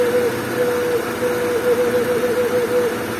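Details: Honda Civic EG hatch with D15B SOHC engine at idle: thin kettle-like whistle at steady pitch, wavering slightly, over a smooth idle; owner suspects it comes from the intake, fat intake tube to be tried.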